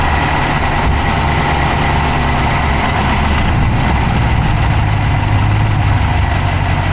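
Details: Dodge Charger Hemi V8 at steady idle, recorded inside the engine bay on the passenger side with an Insta360 Go3: rapid light clicking keeps pace with engine speed; a top-end tick at idle whose source is still unconfirmed.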